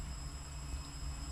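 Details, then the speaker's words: BMW N54, after repeated failed or corrupt MHD tune flashes: the low-pressure fuel pump runs nonstop, a thin, steady high whine over a low vehicle hum. Owner unsure whether the flash is to blame or the pump, possibly a Chinese unit, has died. "i actually walked away to go into the loo and i've just come back and the low pressure fuel pump is screaming"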